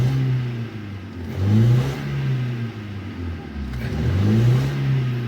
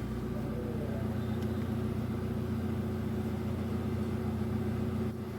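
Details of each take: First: Hyundai i10 petrol engine revved twice, check engine light on: it runs rough and uneven, with a scan tool showing 378 misfires; cylinder 3 was dead with water in its spark plug well, apparently from a car wash. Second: Hyundai i10 petrol engine idling smoothly with no skipping or stumbling after a misfire with heavy vibration and the check engine light on was traced to cylinder 3, where water was found, apparently after a car wash.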